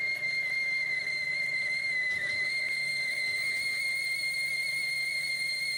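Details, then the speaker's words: 1973 Hardinge chucker lathe, boring bar: a steady, piercing whistle holds one high pitch through the cut as the bar chatters; slowing down or speeding up didn't help, so a different bar is needed. "Slowing didn't help it. Going faster didn't help it. Need a different bar."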